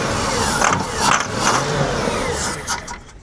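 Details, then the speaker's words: Hurricane-flooded 1992 Ford Crown Victoria, reportedly 11,000 miles, after starting fluid was sprayed and spark confirmed; the corroded engine computer was being cleaned: cranks, catches cleanly, steady run with throttle blips; runs perfect, though it sounds weird up front. "runs perfect yeah it sounds weird up here"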